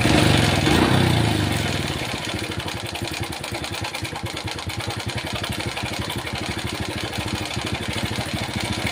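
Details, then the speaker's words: Honda Supra Pit New 4-stroke motorcycle, made in the 2000s, that the owner reports sounds very rough, checked at idle before teardown. A fast, even ticking rattle of about 200 per minute rides over the idle. Worn timing chain. "Menurut informasi pemiliknya, motor ini suaranya kasar sekali. Jadi saya akan lihat kondisi awalnya seperti apa."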